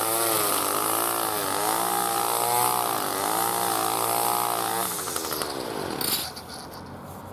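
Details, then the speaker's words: New B&Q 25cc petrol two-stroke strimmer cutting grass after a choke-assisted start with choke now open: the high buzz dips and recovers as the line bites grass, then winds down cleanly. Healthy, normal running under load. "Quick bash of some of this grass here around the dilapidated seat spring."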